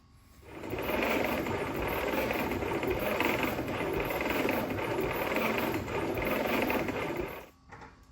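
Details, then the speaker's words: 1946 Willys CJ2a after 40+ years sitting, dry compression test with no oil in the cylinders: fast, light, even cranking that spins too freely. Cylinders read only about 30–50 psi; low compression. "Well, after doing a compression test, the compression is not good on this motor."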